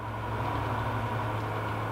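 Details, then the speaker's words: 1990-2005 Mazda Miata driver's power window motor, powered directly through the switch connector to lower the glass: a steady, strained low hum as the window moves slowly and doesn't fully lower. The motor is weak. "Should bring the driver's window down. There it goes, and it is going slow."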